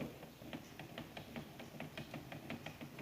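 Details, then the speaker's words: Makita M9511 850 W angle grinder from a marble workshop, locking up: loud gear noise with rough rapid clicking about five a second; failed bearing at the armature's pinion end. "Fazendo um barulho de engrenagem muito grande."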